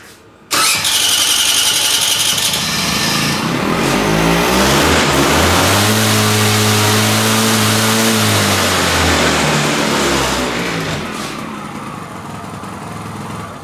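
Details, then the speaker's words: Peugeot CityStar two-stroke scooter, carburetor jet changed from 62 to 70: catches quickly and settles into a steady, even buzzing idle rising smoothly as it warms; engine warm, running clean before test ride. "silnik jest ciepły bez obaw zawsze silnik zagrzewamy żeby po prostu miał swoją pracę"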